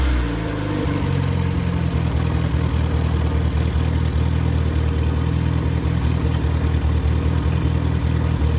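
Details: Rebuilt MG Midget 1500 engine (also fits Triumph Spitfire), built for performance with flat-top pistons, 270 cam, head shaved for 9.5:1 compression, run-tested with no muffler: loud four-cylinder settling into a deep, even, lumpy-cam idle with no knocks or misses; healthy.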